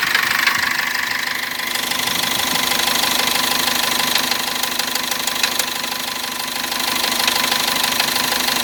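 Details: Cummins diesel: steady knock about three per second over the running noise. It first appeared while driving with partial seizing, then returned warm at 2000 rpm after turbo work and injector checks; disassembly found no cause.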